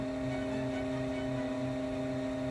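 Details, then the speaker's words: Lasfit LED headlight/fog bulbs: steady, low electric hum at a fixed pitch from the built-in cooling fans, running normally. "you hear that humming that's the sound of from the fans cooling the leds"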